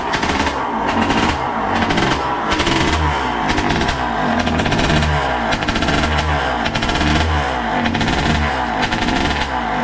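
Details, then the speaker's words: Suzuki RM80 bored to 135cc two-stroke, first start-up warming up with a rich oil mix in the fuel: loud, crisp ring-ding crackle, steady and even with no misses, clearing out as it warms; healthy. "Oh, you hear that when it was warming up? That sounds nice. It sounds very dangerous, which is brilliant. It's clearing out if it got warmed up."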